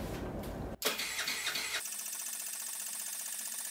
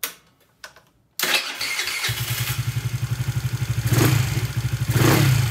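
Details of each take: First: Honda Ruckus clone scooter, GY6 139QMB with 100cc big bore kit, long unused; fuel reaches the pump but not yet the carburetor. The starter spins the engine at a steady, fast whirr without firing: crank, no start, carburetor bowl dry. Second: Honda Ruckus clone scooter, GY6 139QMB engine with 100cc big bore kit, running without exhaust fitted: fires on the first kick, settles to a steady even thump about three beats a second with a couple of clean revs; normal start and idle.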